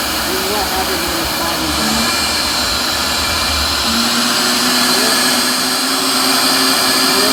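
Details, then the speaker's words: Vacuum motor sucking sand out during a sand change, running freely and unclogged: steady, even rushing whine at constant pitch with no labouring or surging. This is the normal sound to listen for; pushing it hard into the sand clogs it. "So if you're listening to that motor, this is how it's supposed to sound."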